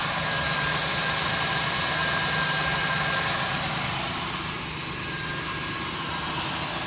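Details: 1999 Ford Taurus 3.0 OHV V6 idling steadily after a jump start from a dead old battery at 9.9 V, now charging on a replacement alternator. Smooth even beat with no knocks, misses or whine; normal idle.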